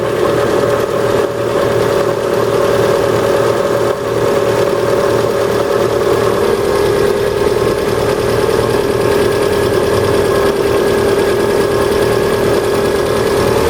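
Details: Cold engine at steady idle with faint, uneven light ticking from the top end that grows with rpm and lasts until warmed to about 70°. Hydraulic lifters suspected rather than pistons; unconfirmed.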